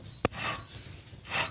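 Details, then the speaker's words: 2007 Nissan Maxima 3.5 SE rear hub bearing, removed with the caliper off and turned by hand: a sharp click, then dry, gritty rasps. A worn wheel bearing. "And this is our bad bearing. If you can hear it, you can hear that it's bad."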